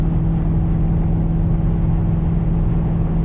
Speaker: o since this car is straight piped you know it is pretty pretty loud on the highway I'm cruising about 80 mph sitting at about 2400 RPM you know there is there is a noticeable drone if I didn't have to stock resonators I'm sure it would be a lot worse